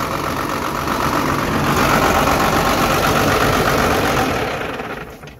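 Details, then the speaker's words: Cummins 12-valve diesel swap after stuck-rack P7100 pump repair, no coolant: steady clatter, then it fades and dies in the last second when the fuel shutoff is used. Normal engine shutdown. "okay the fuel shut off works let's see if it starts itself back up"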